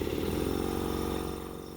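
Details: Ingersoll Rand air compressor, first run after replacing the failed motor (old one kept tripping the breaker): steady, evenly pulsing motor-and-pump drone, no knocks or grinding, slowly fading; running normally.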